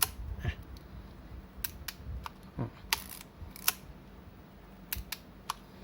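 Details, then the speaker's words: Yashica Electro 35 GSN film camera after repair of a jammed film-advance lever and stiff shutter, then cleaned: crisp single clicks about a second apart in a quiet room. The camera works normally again, with normal shutter release. "ตอนนี้ก็ตัวกล้องกลับมาใช้งานได้ปกติแล้วนะครับ"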